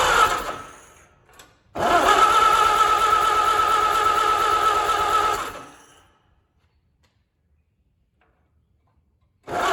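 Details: Allis-Chalmers WD tractor, first start after engine rebuild with good oil pressure: it catches and runs briefly with an even, steady firing beat and no knocks, then shuts off. Fuel is leaking from the rebuilt carburetor; a float issue is suspected.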